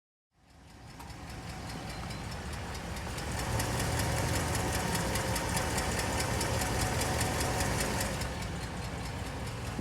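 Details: 2011 Dodge Ram 5.7L Hemi V8 after replacing both exhaust manifold gaskets and a broken driver-side manifold bolt: even idle with faint steady tick about three to four per second; owner unsure whether exhaust-leak tick is gone.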